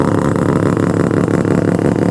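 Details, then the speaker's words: Mazda RX-7 freshly rebuilt rotary, first start, not yet broken in, fuel hoses replaced; loud, lumpy, choppy idle with a steady rapid pulse and deep exhaust rumble, holding even: healthy rotary idle. "This thing sounds insane. Now she's actually propping the way an RX-7 should."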